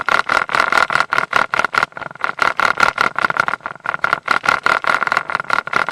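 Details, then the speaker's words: Mercury 150 HP outboard running in gear; rapid uneven rattling bursts, about two to three a second: prop chatter caused by a loose, under-torqued propeller, not the shaft. "many people think it's the uh it's the shaft but it really isn't so what is it you know it's when the propellers loose on there"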